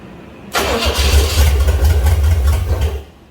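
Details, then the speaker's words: Buick Electra 225 455 V8 just revived with a new timing cover, oil pump, distributor and fuel pump, idle set low: it catches, runs rough and popping for about 2.5 seconds, then sputters out. Unsteady fuel delivery to the carburetor causes engine stalling from fuel starvation. "I'm gonna hook up a fuel line straight to the carburetor because we got her popping off, and I just don't have a steady fuel delivery, and that's what's killing me right at the moment."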